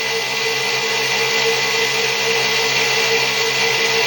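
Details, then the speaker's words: 6-pole zero force motor (ZFM) with wider 1.5" neodymium magnets and a roughly 1/8" magnet-to-coil gap, running unloaded: a steady high whine with a rushing airy edge and a faint wobble. The rotor is a little lopsided, a slight imbalance. "I'm going to men and it's clear a little bit lopsided but you have to deal with that"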